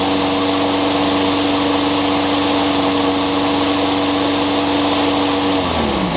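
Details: Honda GCV160 (owner thinks) on a Craftsman mower, after carburetor replacement (old one surged despite cleaning) and a new blade fitted because the old one was out of balance: smooth, steady speed, no shake or thumping, winds down cleanly at shutoff; runs healthy.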